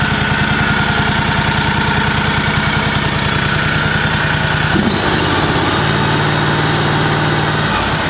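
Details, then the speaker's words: John Deere 757 Z-Trak with Kawasaki V-twin, earlier down a cylinder, idling after repair: now firing on all cylinders, with a light regular tick at engine speed over the idle; the owner suspects lifter noise from rocker arms or valves not yet adjusted. "here now I don't know if you can hear that in the video but I hear what I think is like a lifter tick on on the on the valves there"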